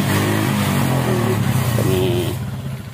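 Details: Motorcycle with a flooding carburettor, parked for years, run on starter spray and fuel fed directly from a bottle: single-cylinder revving about four beats a second, then easing off; runs only on direct fuel feed, carburettor supply fault suspected.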